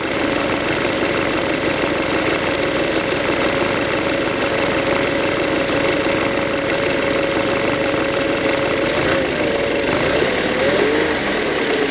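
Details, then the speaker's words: 2007 VW Passat B6 2.0 with codes P1400, P3089, P1063, warming up: a steady mid-pitched droning hum over the engine, wavering as revs drop, suspected to come from a sticking EGR valve; the plastic drive gear may have a worn tooth. "сейчас автомобиль запускается нормально продемонстрирую вот он находится клапан egr я так предполагаю что это он"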